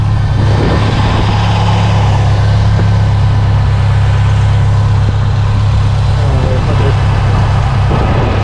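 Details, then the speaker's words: Series Grey Subaru STI big-turbo after cracked header repaired: deep, steady idle with even rumble, no puffing or ticking from the manifold; healthy, leak-free idle. "oh she sounds so good i don't know guys this might be promising"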